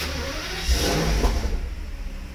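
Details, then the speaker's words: Mercedes SL600 started after sitting a long time: engine catches and flares, then loud breathy chuffing at idle; hard exhaust blowing noise, leak location not yet inspected on lift; distributor caps and rotors also bad. "vehicle that is a exhaust Blow by exhaust is bad I mean it just blows really blows by real hard"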